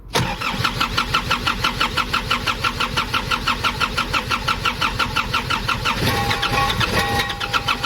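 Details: Nissan Urvan ZD30 diesel, previously a no-start, after a black, dirt-clogged part was cleaned and refitted: even cranking at about three beats per second, then it catches and settles into a steady run, starting cleanly now.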